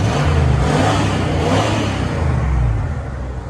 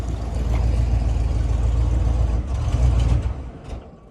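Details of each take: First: 1996 Ford V8 truck with 300,000 miles, after plugging a connector back in: it revs up and settles down with an even exhaust beat and no obvious miss. This is normal running, smoother and seeming to have picked up a cylinder or two. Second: 1996 Ford V8 truck with 300,000 miles, at warm-up idle while watching for overheating with coolant possibly low: a deep uneven lope with stumbles and dropouts, a misfire. It seems to pick up cylinders as it warms; the cause is not confirmed.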